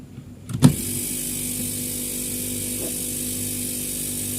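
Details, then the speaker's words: Fridge compressor GFF57AA (1/6 HP plus, data says 1/5 HP) on power with replacement overload: a short thump, then a steady even low hum; clamp meter reads 0.71 A while running normally. "Oke, di sini arusnya sebesar 0,71 ampere ya. 0,71 ampere. Oke, ini kondisi running ya, kondisi running."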